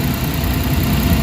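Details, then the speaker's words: Suzuki DA64W turbo engine after camshaft sensor replacement and battery-disconnect reset: short stretch of low, even idle with AC on, no hunting or shake, engine barely felt; normal idle. "So makita mo yung andar, napaka-kampante. Plus hindi mo na maramdaman yung andar ng engine guys."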